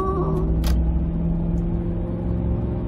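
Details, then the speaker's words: 2005 Ford F-150 with 9.75 rear axle, about 116,000 miles, test drive at cruise after the differential bearing repair: steady road rumble with only knobby tire hum, no whine when accelerating or coasting, axle now quiet. "speed nice smooth road there's some entire noise that's it that's it perfect repair in the end"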